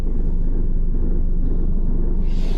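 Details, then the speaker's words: 2014 Nissan Versa with 90,097 miles, driving: a heavy, rhythmic rot-rot-rot vibration rumble, source not identified. The customer's actual complaint is intermittent overheating, which was not found. "It's got a pretty wicked vibration going on out there. You can hear that rot, rot, rot."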